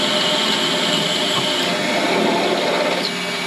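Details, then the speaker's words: Mini lathe drilling steel, speed raised for drilling: hissy scraping cut shifts and drops as the drill passes through the pilot hole and bottoms out, handwheel going hard; stop drilling here. "so that noise along with the fact that my handwheel has now gone really hard means we've gone all the way through the pilot drill and our drill bit is now bottoming out which means that is where we stop"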